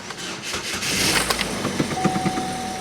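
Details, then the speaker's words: Cheap Copart five-speed manual car with dead battery, started via jump box after checking oil and coolant: catches and settles into steady even run with no knocks or misses, street noise around; healthy, running very well. "to cut this before we continue sounds healthy car is running it's actually running very well"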